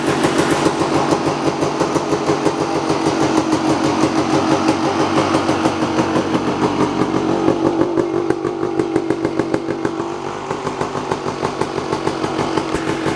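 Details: Kawasaki KX250 two-stroke dirt bike, first start after ten-plus months in storage, on fresh gas mixed 32:1 per old Kawasaki spec: crisp, fast crackle at roughly three firing pulses a second between blips, picking up cleanly on throttle; healthy motor.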